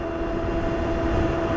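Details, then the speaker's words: Globalkeep MA-S electric motorcycle (4000W peak motor, 250Nm) on aggressive knobby fat tires at about 34–35 mph top speed in a slight headwind: steady mid-pitched tread hum over wind rush, louder the faster it goes. "You hear them tires humming? Faster you go, the louder that hum gets."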